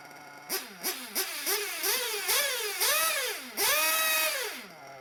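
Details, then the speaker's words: RC nitro engine after leaning the low-speed needle and reducing the idle gap; sharp buzzing throttle blips rising and falling cleanly, then a held rev dropping back to a steady idle; normal running, tuned. "hey okay so there you go so now the engine seems fine but it was already good a while ago"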